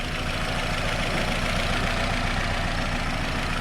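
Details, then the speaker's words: Nissan Rogue after installing new spark plug and ignition coil, multiple-cylinder misfire P0300, stalled on test drive: uneven, lumpy idle with irregular stumbles, no smoke; owner suspects the new spark plug. "it's not smoking but it's doing a lot of misfiring"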